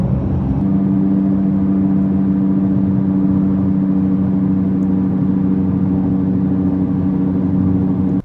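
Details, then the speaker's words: 2022 Nissan Sentra driving on road: steady low drone at constant pitch, no clicks or grinding; worn rear wheel hub bearing humming, confirmed by raising the wheel, fixed by replacing the hub assembly. "You know you need new wheel bearings when you hear a humming sound while driving."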